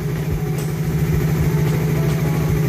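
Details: Second-gen Raider 150 single, previously extremely noisy then stopped running, now repaired: steady low putter at idle, even beat, no knocks or rattles; still somewhat smoky, 28mm carb suggested; healthy normal idle.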